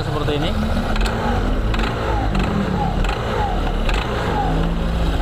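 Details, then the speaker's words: 2021 Honda PCX 160 idling with the CVT cover open: coarse uneven rattle and a sharp clack about every 0.7 s from the front pulley, also rough on sudden throttle; owner also reports judder on take-off, blamed on dirt. "suara berisik di bagian depan ya di puli bagian depan di sini jadi keluan pemiliknya seperti ini suaranya kasar ya"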